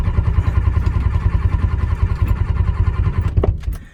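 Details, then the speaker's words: 1985 Ford F-350 dump truck, 6.9 IDI diesel, 4-speed manual, just fitted with a new high-torque gear-reduction starter. Strong, even cranking at about two and a half pulses per second that stops cleanly; starter spins the engine over healthily, with starting fluid applied next. "well it's turning over let's hit her with some cobb"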